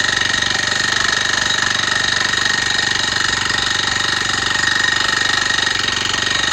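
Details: Honda tiller (kanriki) running again after a seizure, valve clearance reduced from 0.3 to 0.2 mm: steady beat about four per second with a fine hissing scrape, noise unchanged; owner suspects a stuck piston or piston rings; scraping noise.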